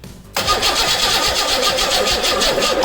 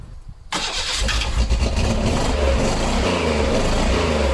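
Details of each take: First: 1986 Pontiac Fiero GT after a new ignition coil was fitted; starter cranks at an even rhythm but engine never catches, still no spark, traced to a damaged wiring connector. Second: 1986 Pontiac Fiero GT after restoring spark, given a little gas while cranking: cranking catches at about one second and fires into a rough, lumpy run settling into steady idle; engine starts for the first time.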